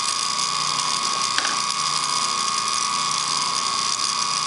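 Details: Antique ring-oiled Wagner 2 hp electric motor running. A steady high ringing with a dry, ratchety rasp over the hum; the oil ring was barely lubricating and the bearing is worn out and needs replacing.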